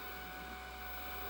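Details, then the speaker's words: Redvision CCTV camera with the cover off: a steady, smooth whirring hum from the belt-driven pan motor with no knocks. It is silent with the cover on. Normal pan drive running. "is noisy but you don't hear it when the covers on it's silent hey this is belt written by the way in case you didn't know the pan is belt-driven"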